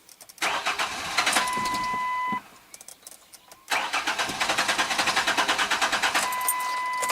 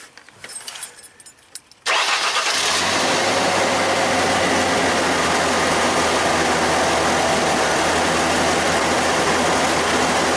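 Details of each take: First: 2002 Ford Ranger 2.3, 200,000+ miles, fuel pump fuse 23 pulled to relieve pressure for fuel filter change: starter cranks fast, engine catches briefly, fires unevenly then dies from no fuel delivery, as intended. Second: 2002 Ford Ranger 2.3, 200,000+ miles, first start after new fuel filter, key cycled three times to build pressure: starter cranks briefly, engine catches quickly into a steady, even idle with no misses or knocks; healthy start.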